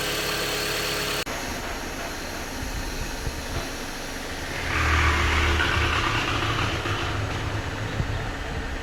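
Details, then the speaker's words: Jeep Compass after timing chain replacement to fix an engine rattling noise: a steady, even idle with no ticking or knocking, revs lifting briefly and settling smoothly; the engine sounds healthy. "foreign most important the engine feeling good sounding good customer will I'm sure the customer will be happy"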